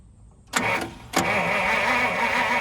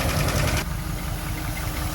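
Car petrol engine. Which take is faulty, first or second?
first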